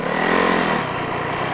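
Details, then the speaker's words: High-mileage snowbike on a run to check the clutch. Engine flares high with a loose, rough note but no power to drive. Owner suspects the clutch is out of adjustment or the friction discs are worn out. "you can hear it just revving too much. I'm getting no power out of it, so I got enough to get me back home, so I'm gonna call that good."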